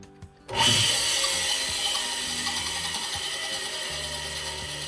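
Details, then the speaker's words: Rockwell Beaver 37-260 jointer motor run with blades unloaded: spins up quickly to a smooth, even whir, no grinding or knocking, healthy motor; the stalling was traced to the drive pulley rubbing the cast-iron casing. "H. That actually sounds like a pretty healthy motor. So, there must be something else going on here."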